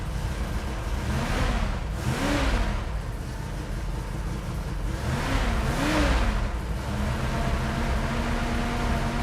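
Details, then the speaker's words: Classic car with mild cam and electronic ignition, after earlier no-start: engine hunts and surges instead of idling smoothly, with gas-smelling smoke from the rear; suspected carburetor idle-circuit fault, possibly power valve too. "the way it's running right now tells me that we probably have a carburetor problem on the idle circuit"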